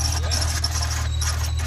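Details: Honda NSX at idle: a steady high-pitched squeal over a smooth idle continues after the belt is sprayed, so the belt is ruled out and a worn idler pulley bearing is blamed. The alternator slipped earlier, with voltage dropping briefly.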